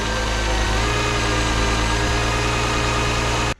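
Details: 2006 Chrysler 300 3.5L, about 120,000 miles, no-crank no-start, run via jumper bypass of ignition switch crank position: smooth even idle, steady low hum, no misses, knocks or ticks until cut off; normal idle.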